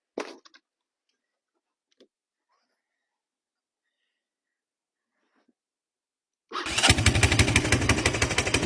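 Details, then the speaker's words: 1982 Honda 200cc three-wheeler that sat outside about 10 years: a few quiet clicks, then the single fires at once into a quick, steady thump; starts easily and runs. "So, as you can see, she fires right up very easily."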